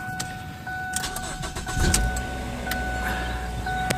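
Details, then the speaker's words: 2008 Ford Fusion 2.3 after an oil and filter-cartridge change and a rebuilt transmission: dash chimes, a short crank, then a quick catch into a smooth even idle. The oil light goes off; the check-engine light shows P0420 catalytic converter. "So, alright, so it's running. Oil light's off, which I like to see."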